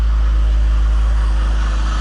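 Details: BMW E46 after power steering hose refresh, refilling with Dexron ATF, engine running while steering is turned lock to lock: steady low drone with a faint thin whine creeping in; likely pump sucking air on low fluid, bubbles/cavitation.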